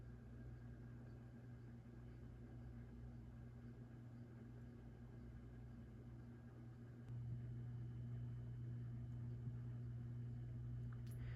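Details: 36-inch 1987 View Fan Spinner V36R ceiling fan, powered straight from the outlet because of a rough pull chain: steady low motor hum under a soft whir that grows slightly louder, no grinding or ticking. The canopy vibrates from not being fully mounted.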